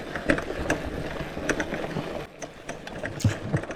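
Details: Lectric XPeak 2.0 e-bike on a mountain bike trail ride: irregular sharp clicks and clatter over bumps from the loose thru-axle knocking about in its hole; the wheel is not coming off.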